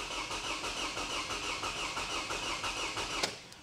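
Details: 2009 Toyota Camry with a recurring cylinder 2 misfire under load, cranking with the throttle held for a waveform capture: starter churns at roughly three beats a second with uneven pulses from stroke to stroke, then stops; suggests compression imbalance.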